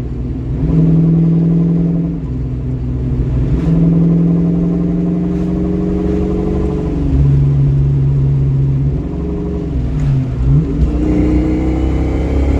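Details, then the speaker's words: 1982 Ford Mustang GT driving under throttle: droning, moaning tone climbing with throttle and road speed; owner suspects rear differential gears letting go, never opened, fluid level unknown. "do you hear that sounds horrible under throttle we're going to have to fix that soon"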